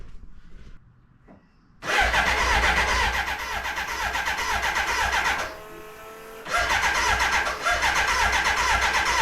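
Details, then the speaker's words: BMW K100 café racer started after the fuel tank was refitted, with air suspected in the fuel lines: quiet at first, then the engine catches and runs rough with a dip near six seconds; hesitant start, and the bike cuts out and won't restart. "it'll cut out but then it won't start again and it won't start doesn't well you'll see this is what's happening at the moment so any advice appreciate it"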